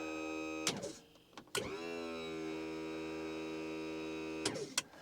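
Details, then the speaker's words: 1976 StarCraft boat with MerCruiser 120 hp, trim pump operated from dash trim-up switch: click, steady electric motor hum for about three seconds, stops cleanly with a clunk; trim pump runs and cuts off normally. "so if you look here on this Dash we have our trim switches see if we get you down here where when you lift this one up you'll hear it that goes up and it stops and then you can go back down and it stops but this is called trim up"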